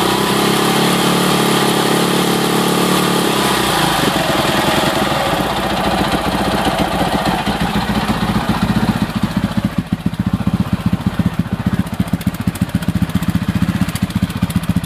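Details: 2006 Husaberg FE650 after Taffy's dual valve spring kit, new 70-link cam chain and tensioner: idle with loose clattery rhythm about four beats a second; top-end mechanical noise, source unclear.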